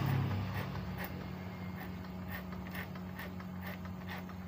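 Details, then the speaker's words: 2005 Yamaha F1ZR after greasing dry starter gear behind left magneto cover: steady low cranking hum, even pulses about four a second, no harsh grinding; starter now smooth, formerly rough. "nanti distarter juga suaranya lebih enak nih guys lebih halus di starter kalau tadinya kita starter suaranya agak kasar kalau ini starter suaranya Udah halus"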